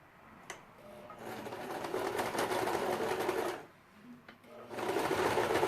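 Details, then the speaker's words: Janome 2008 domestic machine, needle 14, stitch length 3, sewing two layers of synthetic Vintage fabric (1.4 weight): fast, even, loud stitching chatter in two steady bursts; noisier than her Jack but normal, sewing without strain. "Nossa, gente, a máquina de vocês faz esse barulho todo? Eu tô estranhando. Não sei se é porque faz muito tempo e a Jack, ela é tão silenciosa. Então, ó, costurou sem reclamar, sem problema nenhum."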